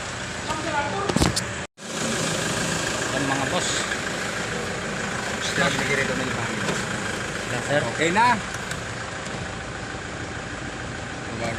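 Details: Toyota Hilux whose no-start, no-aircon and no-power-window fault was traced to a fuse and ground: the engine ticks over at a steady idle with an even rumble and no misses or knocks under background noise; it sounds healthy.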